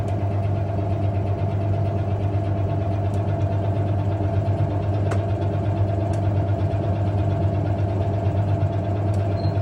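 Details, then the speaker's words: Early-1990s Hoover 1400 PermaSteel top-load washer on Permanent Press cycle, Hot, washing bedding, in spin: steady motor hum with sharp scattered clicks/clangs as the spin solenoid pulls in and drops out; normal. "But you can hear the spin solenoid and the way it clicks or clangs on and off."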